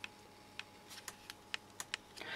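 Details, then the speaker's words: Druck (GE) DPI-620 calibrator power switch after repair with a small resistor glued on top as a spacer: crisp, light, positive clicks at irregular intervals; the switch now actuates properly. "and now it is no problem I think you hear it"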